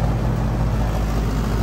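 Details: HVAC unit with 24 V control, no call for cooling, jumped with alligator clips; steady low hum with even drone, no rattles or clicks, compressor and condenser fan running normally (indoor blower not running).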